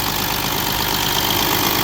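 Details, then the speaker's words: 3.0 TDI diesel after a high-pressure fuel pump conversion (the CP3 blew up), run briefly with no coolant in the system. A steady, even idle clatter with no misses and no fuel leaks: normal idle. "no fuel leaking there no fuel leaking there it's right running life is good"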